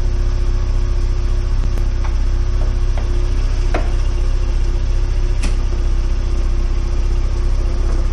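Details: 1992 VW Corrado 16v 2.0-litre, about 27 years old: steady, even cold low idle hum with only faint light ticks, a tiny rattle noted, no knock or stumble; a misfire reportedly appears once warm at 80 degrees.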